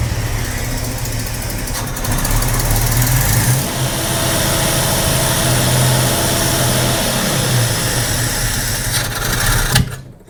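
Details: 45-year-old 2.8-litre Vauxhall Royale coupe, carburettor at baseline with idle mixture screws opened an extra half turn for more fuel: uneven, lumpy idle with wavering low beat and surging; rough running from over-rich idle mixture.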